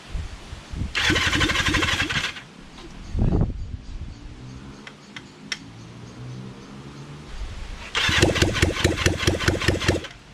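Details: Kawasaki Zephyr 750 under restoration, carbs just fitted after ignition fixed: two long bursts of even starter churning around four beats a second, no firing. Cranks but won't start, fuel tank empty.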